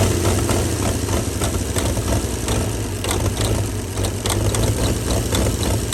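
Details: 1937 Chevy truck six, abandoned about 45 years, low throbbing idle with loose uneven beat and some clatter, keeping itself running on ether/starting fluid; carburetor froze up from running on ether, but it's a runner.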